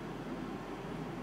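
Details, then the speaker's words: Mitsubishi DXK13YXP-W1 12,060 BTU inverter air conditioner, indoor fan on High speed; steady, even loud rush of air with no knocks or rubbing, normal, with Low speed quiet. "FanSpeed1ควรจะรู้มันที่เงียบถ้าเป็นHighเนี่ยเสียงดังครับตอนนี้หายครับได้ยินไหมครับและนี่คือเสียงพัดลมครับ"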